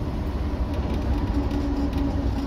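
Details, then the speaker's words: Land Rover Series 3 cruising after fitting a replacement Ashcroft 4.75 ratio diff; steady low road-and-drivetrain drone with no whine, howl or clunks, carb recently cleaned and filter replaced, diff quiet. "tell you what folks with no unto noises it's a sunny day and I'm having a lovely lovely time driving this thing it's just working"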